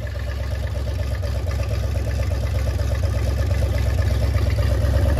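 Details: MerCruiser 7.4 V8 marine engine, starboard side, after removing number one piston and freeing stuck rings, Marvel Mystery Oil burning off: even low pulsing climbing with revs, no misfires; now running smoothly.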